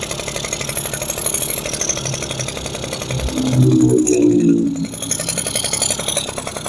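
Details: Yamaha F1ZR two-stroke after a rebuild (new conrod, crank bearings, crankcase) and carburetor install, first start: fires with a quick popping beat, blips higher briefly, then settles to a steady idle; runs fine.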